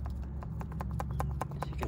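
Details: Vauxhall Corsa C, 56 plate, nearly 148,000 miles, knocking over bumps: sharp dry clicks about six a second as a worn anti-roll bar drop link ball joint with a split gaiter is rocked by hand; fix is replacing the links.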